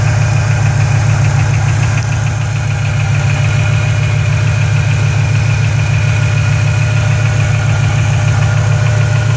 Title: GT500 Ticking noise during normal engine temp